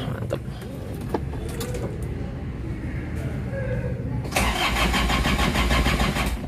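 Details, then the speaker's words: 1987 Chevrolet Trooper 4x4 diesel, 2000 cc Isuzu engine: steady starter churning about three turns a second with no firing; cranks but won't start, owner suspects fuel pump fouled from an unfilled reservoir. "Nah, itu dia. Itu karena pompa minyaknya kayaknya enggak masih rusak, jadi belum bisa dinyalain, tapi mesin normal semua sehat."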